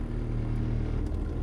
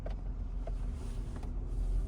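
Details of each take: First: 2011 Toyota Sienna front blower motor, under the dash, with the AC on: a low, steady throbbing rumble that continues at higher fan speed. The out-of-balance blower sometimes shuts off but still blows cold air. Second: 2011 Toyota Sienna front AC blower after blower motor replacement: a smooth, steady low hum, no longer rumbling, running quietly.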